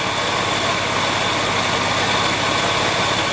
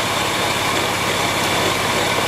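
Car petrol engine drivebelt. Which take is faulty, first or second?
second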